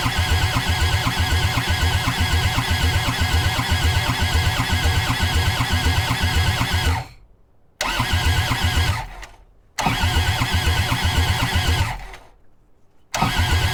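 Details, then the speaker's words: Old abused Kubota skid steer on a cold, snowy day, after the injectors were reinstalled and primed and ether was tried: even starter cranking in three bursts, turning over too slowly, and it never fires. Glow plugs are checked next. Crank, no start. "we're gonna try a little ether no man in a tub hmm all right now it's turning over too slow"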